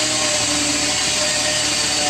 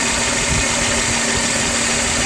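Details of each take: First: Car just after coolant hose leak repair and coolant refill, start-up; steady high-pitched whine with hiss over engine, thought to be power steering. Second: Car idling after cheap coolant hose leak repair, warming up while temperature is watched; constant even idle hum with steady hiss, no knocks or surges, no more leaks seen; normal idle.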